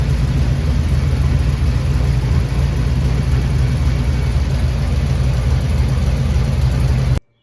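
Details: Car running again after new injectors and a backwards injector harness was corrected, Holley setup: a loud deep rumble with an uneven lumpy pulse about 3–4 per second. Rough-running engine; cause not yet found.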